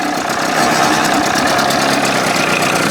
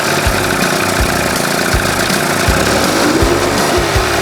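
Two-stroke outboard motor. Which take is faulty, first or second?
first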